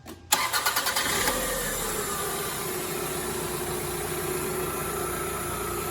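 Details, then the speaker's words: 2000 Toyota Camry four-cylinder with a cylinder 3 misfire (P0303), after replacing the faulty injector: starter cranks about a second, the engine catches cleanly and settles into a smooth, even idle. "y pues éste ya el problema está corregido ok este podemos observar de que el vehículo lo vamos a echar andar ahorita"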